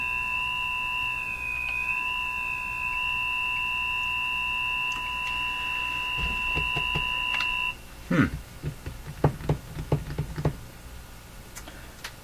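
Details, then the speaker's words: Northern Electric Baby Champ tube radio with a signal injected near the 455 kHz IF: steady high whistles wandering slightly in pitch, then stopping amid clicks. A heterodyne squeal, guessed to come from an oscillation in the IF circuit. "we're hearing an oscillation we're hearing the effects of an oscillation in the if circuit which which you normally cannot hear but when you bring up another frequency close to t"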